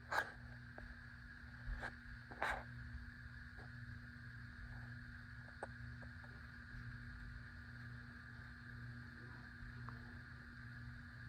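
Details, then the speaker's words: 52-inch white Hunter Pro's Best ceiling fan on low speed: steady low electrical hum with faint buzz under the fan, a few clicks early; owner blames a bad capacitor, which also leaves medium and high the same. Motor hum. "Here's low. Yes, this fan does make buzzy noises because it's got a bad capacitor."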